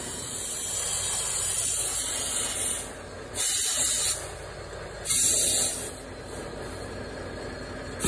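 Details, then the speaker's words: Volvo truck: continuous sharp hiss of escaping air with louder surges. It seemed to come from the back of the engine, the exhaust or the air dryer, but the leak is at a valve on the frame rail. Air system leak. "oh yeah we got a we got an air leak which is kind of funny it sounds like it's at the back of the motor it sounds like it's by the exhaust"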